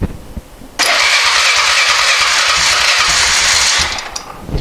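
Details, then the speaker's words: Polaris 425 four-wheeler, not run in 3 years, started by dripping fuel into the cylinder: catches and revs roughly about three seconds, then dies; fuel starvation, not getting fuel through the cleaned carburetor, junk suspected in idle jet. "did fire so that proves it it will now I've got to figure out why I'm not getting fuel through my nice clean carburetor"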